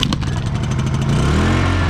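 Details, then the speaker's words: Honda EU2000i inverter generator after carburetor replacement (throttle servo swapped from old carb), formerly wouldn't start: revs up then drops smoothly to a steady, even low idle with no hunting or surging; normal idle. "Idle down just nicely when you need to, and idle up."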